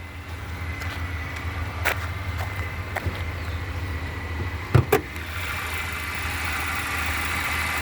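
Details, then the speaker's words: 2014 Chevy Impala LS, 2.5L four-cylinder, 154,000 miles, new plugs, coils and oil; heard under the hood at idle: low, soft steady hum with a couple of handling clicks, running quietly and smoothly. "Take a look under the hood here for you. Maybe then you can hear the engine run. It is quiet."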